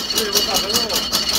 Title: 1915 Stover 6HP Running💪 (The Ugly "Clicking sound is just the Fairbanks Morse magneto conversion)